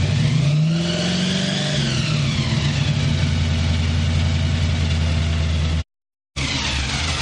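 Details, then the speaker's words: Chevrolet Malibu V8 on a test run after the carburetor was fixed: deep, even burble, clean rev up and back to a steady lope, no misfire. "Sounds crisp now. Todd fixed the damn carburetor for sure."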